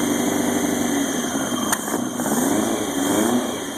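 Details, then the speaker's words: 2000 Yamaha YZF-R1 first start after engine rebuild: uneven, lumpy idle with a thin high-pitched squeal of unknown source; cylinder one not firing, suspected no spark. "yep cylinder one is not firing at all so I think I'll diagnose that first"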